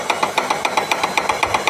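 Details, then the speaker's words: IFB Senorita Aqua VX front-load washer, drum turning: sharp regular stone-breaking-like knock about eight times a second from loose rear drum pulley, held by ordinary 13 nut and washer instead of correct nut after earlier repair. "இந்த sound வந்து எங்கிருந்து வருதுன்னா wheel வந்து லூஸாக இருக்குது, அது வந்து உங்களுக்கு சவுண்டு கேட்குது."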